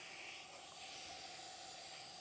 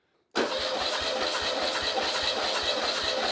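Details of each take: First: Porsche 911 Carrera 3.2L engine on a test stand, not running, during a leak-down test: quiet, steady hiss of air escaping where the tester hose threads into the cylinder head; fitting needs tightening. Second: Porsche 911 Carrera 3.2L engine on a stand, spark plugs out during compression test reading about 175–190 psi: steady, even cranking at about two and a half pulses a second, no skips; healthy compression.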